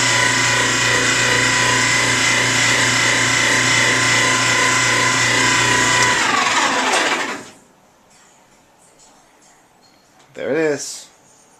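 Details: 13-year-old GE Profile dryer running: loud high squeal pulsing about four times a second, then winding down; cause was blower wheel on motor shaft near front rubbing front metal; fixed by loosening bracket and pushing wheel back, drum glides also replaced.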